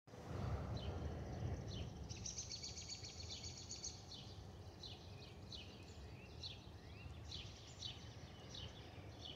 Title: Delta Airlines Airbus A320-212 N351NW DL2689 RDU-DTW (FOPP whistling sound) (Stabilized) (5-11-2023)